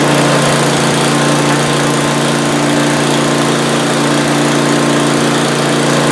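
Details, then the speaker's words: Older Ariens snow blower with 8 HP Tecumseh engine after electric-start repair, started with choke: steady, even buzz with no misses, knocks or rattles, running smoothly; ran 10-15 minutes, nice and warm, no issues. "Okay, it's been running for about 10-15 minutes, nice and warm, no issues."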